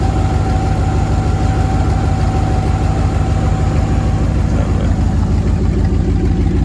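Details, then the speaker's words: 1999 Dodge Dakota R/T 5.9 V8, 185,000 miles, good oil pressure; deep, loud, uneven idle rumble with raw puffing beat and little treble from exhaust leak, downpipes rusted off where they meet the catalytic converter. "right when it meets the cat it um ended up rusting off a few years back"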